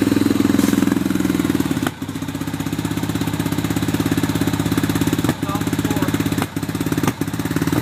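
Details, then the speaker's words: Hard-starting RZR, in low gear, with smoke coming from the back: uneven chuffing idle around two beats a second with several brief dips where it nearly dies; struggling to keep running, cause unknown. "Now I'm going to put it in drive so I can drive around the backyard and try and get things to stay running."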